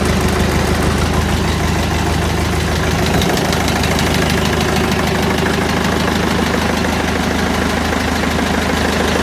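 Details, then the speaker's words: Freshly rebuilt Massey Ferguson 165 diesel tractor runs with a firm, regular beat at steady speed, no knock or misfire; starts nicely, runs sweet and is more nippy now after the engine rebuild. "she runs nice and she drives nice she's a hell of a lot more nippy now"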